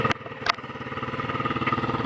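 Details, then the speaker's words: Chinese 100cc 4-speed clutchless dirt bike, cold start without choke: after blips it settles into a quick, slightly lumpy single-cylinder idle thump; owner suspects the carburetor needs cleaning and adjusting. "I need to ride it now sounds a little bad right now it needs to be cleaned"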